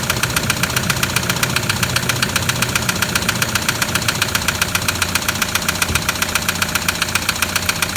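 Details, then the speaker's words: 2007 Toyota Land Cruiser Prado 120 with the 1KD diesel at 230k, just started; hard, evenly spaced metallic knock, about 2.5 per second, over a rough idle. Serious internal knock; a blocked oil pickup is suspected, unconfirmed. "Oh hell! That's bad."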